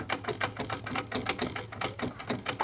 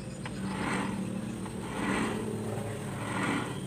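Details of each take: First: Honda Beat carburetor scooter, about 2010–2012: rough, uneven crunching clicks from the CVT case as the rear wheel is turned by hand, from worn bearings; final gearbox found destroyed. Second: Honda Beat carburettor scooter (about 2010–2012) CVT after replacing the worn bearings, rear wheel spun by hand with clutch held: soft, even swishing, no more crunching.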